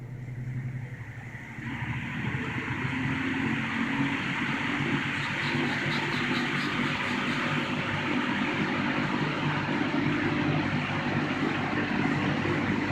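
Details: 1960–61 GE W-15 variable-speed box window fan set to exhaust; a level, steady whoosh of moving air with no rattle or ticking once up to speed; running normally.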